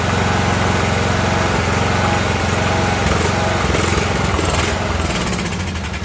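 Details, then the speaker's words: Ariens riding mower, 20 hp Briggs and Stratton Intek, hunting up and down unevenly, revs sagging as it dies; spark stays present throughout and brake cleaner into the air cleaner steadies it, so surging is fuel starvation. "we had spark all the way to the end i shot that brake cleaner into the air cleaner there and you heard it was straighten it back up so we know there's a fuel problem"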